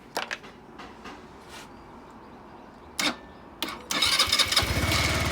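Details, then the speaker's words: Sym Jet X 125 scooter that wouldn't start because the helmet-compartment switch was on lock: after switching to unlock, a few clicks, the starter whirs and the engine catches at once into steady idle. "It starts up."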